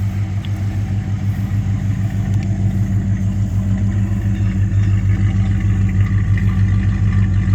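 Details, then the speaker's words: 1987 Jeep Grand Wagoneer, rebuilt rare AMC 401 V8 with Fi Tech fuel injection, new exhaust manifolds, 62,000 miles, heard from the rear at the tailpipe: deep, even, smooth quiet idle burble, no misses, ticks or knocks; healthy. "See how smooth and quiet it is?"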